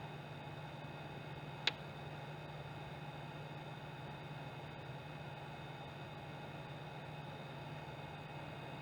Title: PS4 Pro buzzing noise